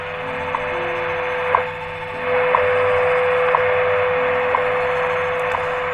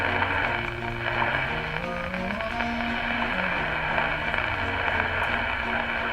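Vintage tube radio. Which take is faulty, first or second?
second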